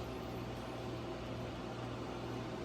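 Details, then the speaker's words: GE Profile ice machine running its test cycle before repair, just starting to make ice: only the fan running, smooth even whoosh and low steady hum, no loud grinding or squealing yet; normal running. "Started making ice. I don't hear any loud sounds just yet. The sound of the fan running, and that's about it."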